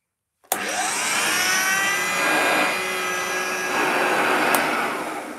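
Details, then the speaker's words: Upright vacuum cleaner over 50 years old, run with no bag fitted: motor spins up to a steady high whine and roaring rush with a faint shifting tone; motor sounds fine, but a new belt may be needed. "has the belt no the belt's on yeah I don't sound I think it needs a new belt um"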